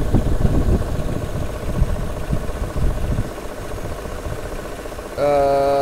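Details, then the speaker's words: 2005 Mercedes SL500 with six ABC suspension faults, raised on the system while scanning: uneven churning over the idle, then a steady whirring; the ABC hydraulic pump is straining because its reservoir holds very little fluid. "There's very little fluid in there. Okay. So before we blow out the pump, let's turn this off. I don't like that sound at all. That could get expensive."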